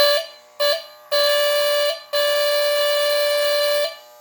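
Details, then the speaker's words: Postwar Lionel 2350 diesel locomotive on the test track, original mechanical buzzer replaced with a new buzzer, shell back on, powered by KW transformer: clean steady buzzing horn blasts, two short then two longer; working horn buzzer. "Works perfectly."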